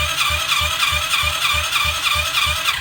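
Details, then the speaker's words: 2021 Kayo 90 pit bike engine cranking for a compression test, throttle wide open: quick, even, whirring cranking with no firing. It reaches only 40 psi, far too low to run, because zero intake valve clearance holds the valve open. "And it's only pumping up to 40 lbs with it wide open. So, that's way too low for it to run."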